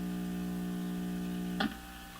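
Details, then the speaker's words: Crosley Model F-5 tube radio at high volume after tube replacement: steady low hum with buzzy edge, then a click and it drops away. Mains/power supply hum; capacitors suspected defective, not confirmed. "but it's humming. In fact, I can hear a hum. I mean, that shouldn't be surprising, should it? These capacitors defective."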